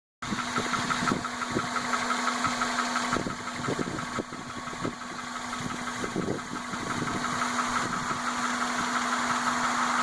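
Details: 1998 Honda Accord 2.3L VTEC four-cylinder, 160,000 miles, timing belt history unknown, idling: steady hum with a light regular ticking about three times a second and vibration at idle; owner unsure if valve, belt or timing belt.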